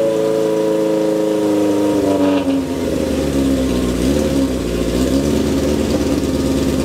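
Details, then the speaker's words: 1978 Kawasaki KZ650 C four-cylinder, first start after at least 5 years unrun, on a temporary fuel supply with vacuum pipe blocked: loud, raspy idle with blips settling to an even beat while warming; runs cleanly but the exhaust is very noisy. "i'll drop this off while i get some warmth in the engine well that's a bit of a result um if i could criticize it this is one noisy motorcycle"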